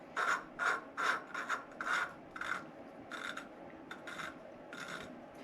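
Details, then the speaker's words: 1997 Argo Conquest engine, valve lapped by hand with grinding compound: strokes about two per second give a coarse, gritty rasp that eases as it beds in, showing a rough valve seat. "so I put a little bit of that valve grinding Compound on the face of the valve and this oh yeah I can hear it it's pretty it's pretty rough"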